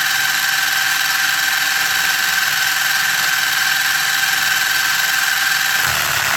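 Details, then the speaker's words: Traxxas 4Tec 2.0 RC car with replacement Traxxas CV joints: steady high drivetrain whine, smooth straight, turning into harsh buzzing vibration at full steering lock; CV joints binding, not engineered for the steering angle. "but at full steering you'll hear a very nasty vibration and it's because the CV joints are actually not engineered properly for the amount of steering angle"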